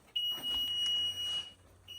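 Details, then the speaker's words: Basement with a newly installed unit, beside a unit showing two flashes and an alarm, with a safety cutoff valve turned off although it should run in parallel with the unit: a steady high beep over a second, then another. The cause is not identified. "And here's his 2 flashes and an alarm. And there's the valve that cuts off in the case of something."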